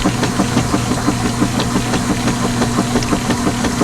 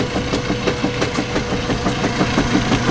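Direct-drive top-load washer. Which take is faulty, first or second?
second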